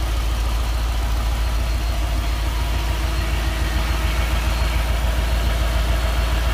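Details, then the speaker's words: Nissan D40 Navara with swapped-in VK45DE V8, first start after engine change, very low lumpy idle around 500 rpm with a regular stumble; one cylinder dead, owner suspects injector, later traced to dirty contact. "yeah it feels like one down it's not that one not that one"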